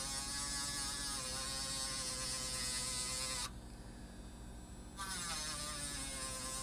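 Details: 5 V miniature air pump for a pocket smoke machine gives a steady high buzzing whine with an even pitch and a brief dip midway; running normally.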